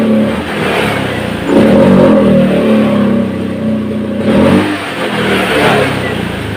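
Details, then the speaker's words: 2014 Honda Scoopy scooter: engine climbs on throttle, then note sags and goes flat at full throttle, recovering when eased off; low and mid revs fine, top-end power loss, TPS sensor suspected but not confirmed. "teman-teman dengarkan tadi bahwa begitu grip gas kita Pulsar full ini ternyata motornya malah mala-mala malah ngedrop suaranya tetapi begitu kembalikan baru kembali greng"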